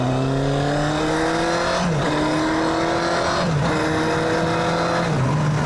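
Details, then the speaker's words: Honda CBR929RR Fireblade, revived after sitting, first ride on the road: strong rising howl through three clean upshifts, pitch dropping crisply at each change with no stumbles; healthy engine pulling hard under acceleration. "Listen to that engine. It sounds absolutely amazing."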